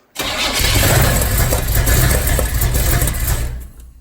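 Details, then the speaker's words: Car engine just fitted with new heads to fix oil consumption and plug fouling, first start: catches and runs rough and uneven with irregular pops and spits over idle; backfiring, cause unconfirmed. "got a little backfire going on here yeah hang on go ahead"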